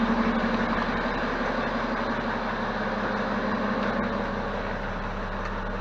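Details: BMW E70 X5 diesel right after fuel filter replacement and fuel system priming with ProTool: starts and gives smooth, even diesel clatter at idle, settling quickly with no stumble or hunting; running normally.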